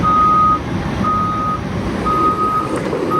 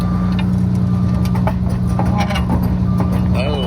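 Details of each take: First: Warmed-up Cat excavator being test driven: steady diesel rumble with regular travel-alarm beeps; drive runs even, smooth and quieter, faster in high speed, nothing knocking. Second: Used excavator, one track lifted off the ground and turning: steady diesel drone with irregular metallic clanks and slaps; bent, broken and missing track pads banging through.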